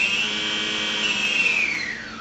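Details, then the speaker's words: Electric Flights Hawkeye II RC plane motor, propeller removed, run on throttle stick after arming: clean high whine holds steady, then drops smoothly as throttle comes off; motor runs evenly, healthy. "So now whenever I give the plane gas, the motor is going to run."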